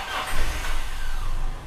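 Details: Toyota Kijang that kept stalling and failing to start because an intake hose was only pushed on without a clamp: with the hose refitted, engine fires straight away and settles into a smooth low hum; normal start.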